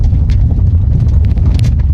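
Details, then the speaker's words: 2007 Toyota Camry 3.5Q V6, an old car that seems poorly maintained and also smokes: on a test drive over rough pavement, heavy low road rumble carries scattered dull knocks and rattles from worn suspension. "Oh, kedengeran enggak suara kaki-kakinya, Guys?"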